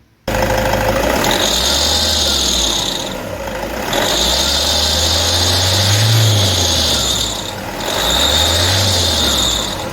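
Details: Toyota D4D diesel at idle: steady high whine swelling and fading every few seconds over the engine, traced to the idler pulley in the belt drive.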